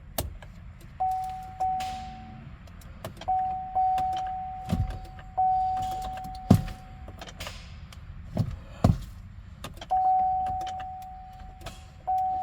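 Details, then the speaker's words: 2015 Buick LaCrosse after transmission replacement: single sharp clicks at each key turn over a warning chime, engine never cranks; click no crank, persisted even with a new starter, cause not yet found. "So it just clicks."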